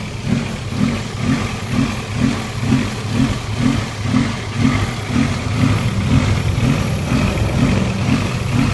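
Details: 16V petrol engine with rough idle: the low drone swells and fades about twice a second, an idle surge.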